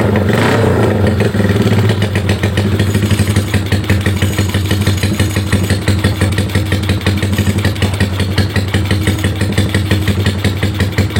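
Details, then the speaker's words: Bored-up Honda Megapro single-cylinder touring build, cam duration about 270 and lift 8.8, idles with an uneven wavering chug; engine mechanically smooth but carburetor setting badly off. "Ya, seperti ini kurang lebih motornya, suaranya. Mesinnya halus, cuma sekep karbunya ini kocak banget."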